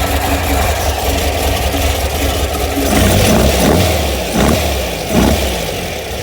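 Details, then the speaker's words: VW Beetle air-cooled engine rebuilt over about 1.5 years, roughly 200 miles since: lumpy idle swelling with quick throttle blips, slight cam rumble, otherwise smooth; healthy. "it's just air cooled engine so it's not going to rumble but the cam is definitely a little um give it a little Rumble"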